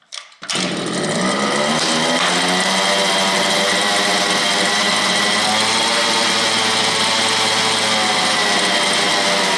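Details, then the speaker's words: Losi DBXL 1/5-scale RC truck with Zenoah 32cc two-stroke, first start after two years; steady high-pitched raspy buzz at a fairly even note, running lean because the carburetor mounting is loose. "It looks like I did not quite put that on strong enough. My carburetor's loose, which means it's running a little bit lean."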